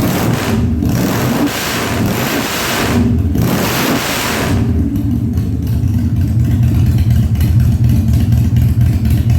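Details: 1997 Harley-Davidson Fat Boy after carb cleaning, new spark plugs and new battery, no air cleaner fitted; cold start on choke at 70°F, humid. Sharp blips, then a steady, even lumpy V-twin idle, no popping or stumbling; revs normally.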